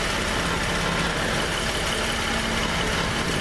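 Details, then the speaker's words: Jeep idling, heard from underneath; a loud low idle with a jangly, shuddering rattle, present since the rear main seal repair, caused by exhaust hitting a skid plate likely bent by the jack; fixed with fabricated spacers. "trying to figure out what the hell that rattling noise is it's getting worse it's getting scary"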